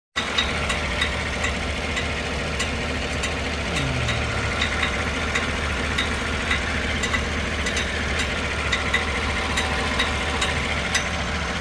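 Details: 2015 GMC Yukon at idle: sharp metallic tick about every half second over a steady idle; the noise is attributed to a bad starter.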